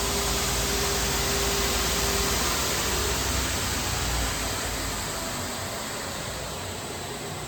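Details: Two-head abrasive belt grinder finishing a 14 ft, 6-inch aluminum beam flange, P120 then P180 belts: loud, even, smooth hiss slowly easing off as the part clears; grinder running normally.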